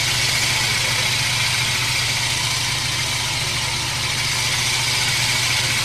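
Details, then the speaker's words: Jacobsen greens reel mower being backlapped with lapping compound, reel turned by a hydraulic motor. Steady, gritty hiss of the reel against the bed knife. The grinding gets lighter as the compound wears off. "you can hear how it's not grinding quite as heavy anymore"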